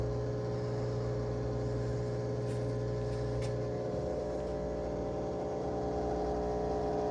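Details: Whirlpool/Maytag WTW5105HC2 washer in factory diagnostic mode with the lid locked: the drain pump is activated and gives a low steady hum that drops away partway, then a smooth whir continues, which is normal operation.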